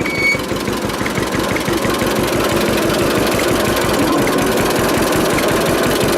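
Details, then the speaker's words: 1946 John Deere AR two-cylinder tractor idling after brake band repair, with wind rumble on the camera. A slow, even putt at about three beats per second. Normal, healthy, steady idle. "that sound nice trouble is the camera's got the wind cut on it and it really affects the sound of that a lot it really sucks but it does sound so awesome in person freaking awesome"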